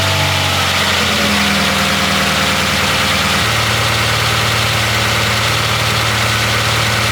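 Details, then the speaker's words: Honda Prelude H23A1 engine after timing belt, valve lash adjustment and ignition timing set; smooth, even idle with steady hum dropping to a lower settled speed — normal idle. "so let me start it on up should sound a lot better with those tighter Valves and the timing set on the engine"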